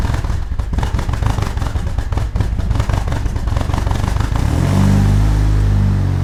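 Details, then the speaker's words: Turbocharged Chevrolet HHR SS Ecotec, boosting to 30 psi, cold start in cold Pennsylvania weather after sitting since October and reassembly for inspection: uneven cranking about four seconds, catches, sputters into low slightly unsteady idle; rough cold start, cause unknown. "as you can hear cars sputtered a little bit when we had to start it up"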